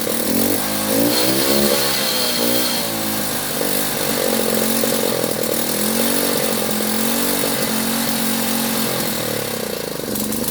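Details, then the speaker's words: Delta moped, plug cleaned, choke flap set to middle: buzzy two-stroke hunts up and down and stumbles instead of revving cleanly; owner hears the plug sooted again, most likely from fuel that sat for months. "Я так поняв, вона знов нагоріла. то що по звуку чути, що свічка нагоріла і погано працює."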